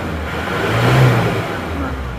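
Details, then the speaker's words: Isuzu Panther diesel pickup after repair for blow-by, injection timing advanced from too retarded, which had caused white smoke when revved, about 60 degrees: clatter climbs smoothly with throttle and settles back, no smoke; normal revving. "kemarin itu keluar asap putih kalau digas itu karena yatimya kurang maju diaturini"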